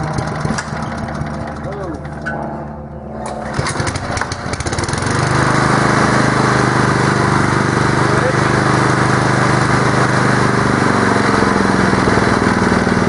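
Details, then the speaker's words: Honda steel-deck lawn mower started on choke: a few pulls, then it catches and settles into a steady, even drone with no surging; normal governed speed, and anything faster suggests checking the governor. "if you're lawn mower revs any faster than that when you're just normally having it run speed I'd be uh advising that you check your Governor speed"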